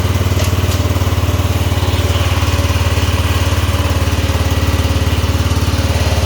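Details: Cub Cadet 2146 garden tractor, single-cylinder, throttle up, after transmission repair: engine putting along with an even pulse of about three beats a second at steady throttle; runs healthy.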